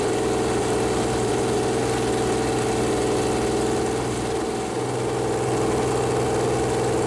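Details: Freshly built Chevy Performance 454 big-block V8 on an engine run-in stand, first start, header paint burning off: steady, even idle with smooth low rumble, no knocks or misses; normal idle.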